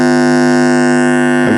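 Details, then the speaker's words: TEAC PowerMax 60-2 1990s PC speakers powered on with volume turned up: very loud, constant low buzz with a raspy edge; speaker hum fault, cause suspected, not confirmed. "very very loud buzzing so turn the volume now and switch them off but yeah that's theault guys"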